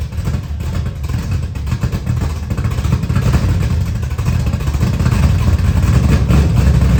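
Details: 1979 Camaro, 355 V8 just reinstalled, restart after timing read 20 degrees with a backfire and rough running: loud lumpy V8 idle, uneven and slightly stumbling as it builds; measured air-fuel about 22.5:1, dead lean.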